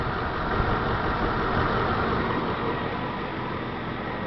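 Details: 2003 Ford Explorer 4.6 V8 idling cold with a slightly uneven, lumpy beat from a misfire on cylinder five only; coil current ramp is good but burn time is faulty, pointing to the coil secondary side, plug boot or plug.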